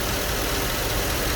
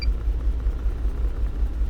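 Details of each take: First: 2008 GMC Yukon 5.3 V8 after repair of an injector circuit fault, injector pulse restored; short stretch of even, steady idle rumble with no misses or stumbles, smooth and healthy. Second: 2008 GMC Yukon 5.3 V8 before repair: misfire codes, check engine light, limited to 20-30 km/h; blown injector fuse cutting feed; deep lumpy rumble stumbling unevenly as cylinders drop out.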